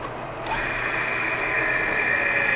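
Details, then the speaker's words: Lion lathe boring a 19-inch sprocket with a 1-3/4 inch boring bar running a CNMG 432 insert, sped up to 180, light cut: steady, even cutting hiss with no chatter; surface finish much smoother. "already a much smoother surface finish that that made all the difference in the world right there"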